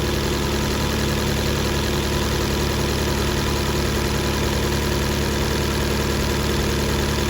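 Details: 2018 Fiat 500 after the tank was filled with diesel and the fuel pump replaced: rough idle stumbling about three times a second; misfire codes, damaged spark plugs whose debris damaged valves, low compression.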